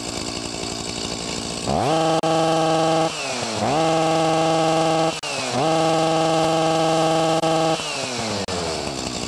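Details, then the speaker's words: Stihl MS 361 chainsaw, fairly new, warmed up: each blip climbs fast then flattens and buzzes at a capped pitch, won't rev beyond about 5,000 rpm, even under load; faulty ignition coil's rev limiter cutting in early, needs replacing. "mentioned earlier, the rev limiter in the coil prevents it from revving where it should. Even when it's under load, it does the same thing."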